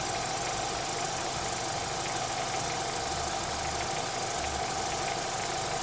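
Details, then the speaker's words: Renault Megane 3 K4M engine, hot idle, after oil change to ZIK X9 5W40: light uneven ticking knock with a thin high chirp/hiss, appearing only when warm, silent cold; cause unclear. "Нагревается, начинает вот это свиренчать и начинает так перестукивать. На холодную вообще чисто работает."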